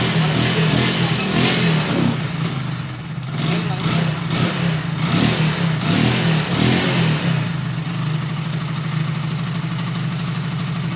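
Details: Hero Glamour motorcycle with a starting problem after a new CDI was installed to replace the weak old one: steady low single-cylinder beat that picks up cleanly on each throttle blip and settles back without stalling; ignition now firing properly.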